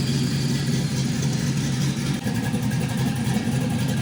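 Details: GM 5.3L LS V8 with NSRx Stage 3 no-springs-required cam and 600-lift valve springs: deep, even, choppy lope at idle with steady rhythm, no knocks or ticks; great oil pressure, healthy normal cammed idle.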